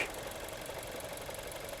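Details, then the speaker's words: Learner car bought new, just under eight years old, over 180,000 miles of harsh learner driving: light metallic rattle at idle in neutral with clutch up, no load, from play in worn clutch friction disc damper mechanism. "the damper mechanism in the middle of that disc starts to have some play in it and it starts to rattle so when it's in neutral with the clutch up and there's no load under the clutch it does rattle"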